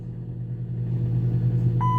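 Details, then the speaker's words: 2009 Dodge Caliber manual idling: low steady idle then a clean single-pitch chime as the tire pressure light comes on, confused after fitting snow tires; a normal warning, not a fault. "yeah the that was just the tire the tire light coming on it's confused now once I when I put the snow tires on it gets a little gets a little confused for a few days till it figures it out"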